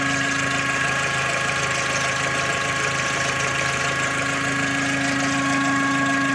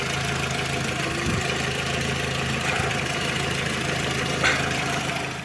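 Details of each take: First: Skoda Octavia Tour / Golf IV petrol engine (AKL/AEH) idling with a steady hum and thin one-pitch whistle that vanishes with throttle and returns; possible cause a deformed crankcase ventilation hose. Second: Skoda Octavia Tour / Golf IV petrol engine (AKL/AEH) idling after a poor-quality aftermarket throttle-body hose was replaced with the old one: steady low hum, the whistle under the hood gone.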